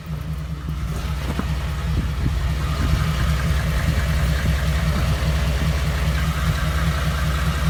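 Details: 2014 Ford F-150 5.0 V8 with 54,000 miles: a ticking that began around 52,000 miles and has worsened, now with a deep, uneven rough idle after a dealer visit; cause unknown.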